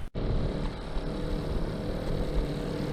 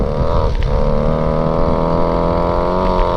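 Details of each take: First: Go-Ped scooter two-stroke, unused 15+ years, at about 5% throttle doing roughly 2 mph: low, uneven putter held just off idle; beyond about 10% throttle it chokes, rider assumes it floods, cause unconfirmed. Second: Go-Ped Sport two-stroke unused 15+ years, exhaust routed into the body, dirty carb, right after the choke is taken off: high buzzing note holds steady then rises and falls cleanly with throttle; running strong.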